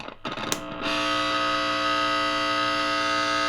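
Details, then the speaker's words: 25-year-old Squier Venus electric guitar, plugged in with a thump, then a loud steady harsh buzz that has persisted for a long time; faulty wiring and bad pickup. "okay so obviously this whole rig roll here is staged I'm full well aware this guitar makes this noise it's been a thing for a long time"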